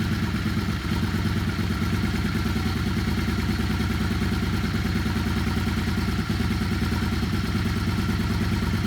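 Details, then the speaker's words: Yamaha Star 650 twin, fully warmed up and off choke after carb rebuild: lumpy, slightly irregular idle evens out into a steadier beat as the carb balance screw is turned during sync; uneven idle from unbalanced carburetors. "You can hear the engine even out as I turn it."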